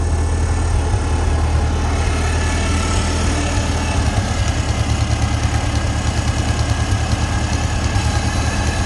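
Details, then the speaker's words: Farmall Cub tractor with Seafoam added after spitting and sputtering, about two-thirds tank: steady low even idle with soft regular pulse, no knocks or misses; pretty responsive, running normally. "I'm not dissatisfied with how it's running with the seafoam in it pretty responsive"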